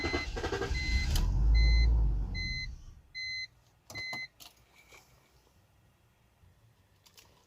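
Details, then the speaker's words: BMW 325xi crank-no-start: cranks a couple of seconds, catches briefly, then cuts right back off, leaving clicks and chimes; the fuel pump, believed to be in the tank, sounds weak and the engine runs only on starting fluid, so low fuel pressure is suspected. "trying to start it it's turning over cranking but not starting i'll let you guys hear it see it starts it cuts right back off"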